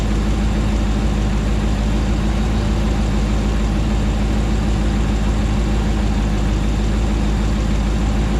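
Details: Rebuilt 2009 Hemi 1500 V8 warming after first start: smooth, steady low-pitched idle, no ticking or stumble, speed even; about 87 psi oil pressure, no longer jerking.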